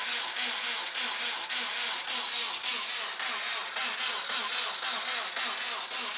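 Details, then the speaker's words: Rebuilt engine in a $1000 crashed Subaru WRX, cranked with sensor unplugged on purpose to build oil pressure before running: steady regular cranking pulses, smooth starter whir, no clunks; cranks cleanly, normal. "Few noisy belts, but it sounds pretty healthy. Sounds like a Subaru."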